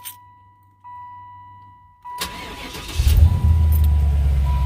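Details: 1995 Impala SS LT1 V8 after replacing brittle vacuum hoses, throttle body hoses and purge solenoid to cure start-and-die vacuum leaks: a chime, a brief crank, then the engine catches and settles into a steady, even idle.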